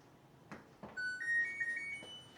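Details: New LG dryer just installed and levelled: after a couple of button clicks, a short rising sequence of clear electronic tones, the normal power-up chime; dial works.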